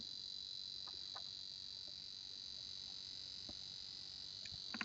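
A steady high-pitched hiss sits around the upper range with a few faint clicks; unwanted electrical noise leaking through the piezo buzzer.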